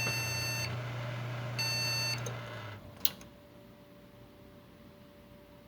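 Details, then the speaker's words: Desktop PC with no video signal: four long high beeps with pauses over a low hum, a memory error code; the same RAM module beeps in this slot but works in the other, so the slot is faulty. "y volvemos a encender y como pueden escuchar nos están mandando los mismos pitidos entonces eso quiere decir que nuestro slot tiene algún fallo y obviamente por eso no la reconoce"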